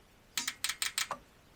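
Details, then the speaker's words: 1976 Jaguar XJ12 V12 replacement engine, injector briefly hit with 12 volts to free it: six sharp, crisp clicks in under a second on a quiet background; injector opens cleanly and sprays fuel, working. "so that one's good it's clicking and I actually heard some fuel spray that one as well"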